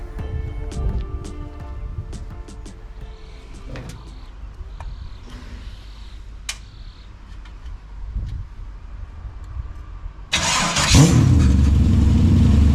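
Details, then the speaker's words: LS1 V8 with reconditioned 750 Holley carburettor, standard engine on engine plates, temporary oil pressure gauge: brief crank, fires at once and revs strongly and evenly; starts easily, sounds good, normal start. "So started pretty easy actually. It's basically a standard engine, but it sounds really good."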